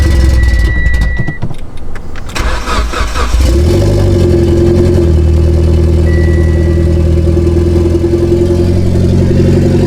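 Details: Mitsubishi Evo X on stock turbo at cold start: starter whirr, catch, then a high cold idle with an uneven puffing tick riding on it; major exhaust leak in the center of the car.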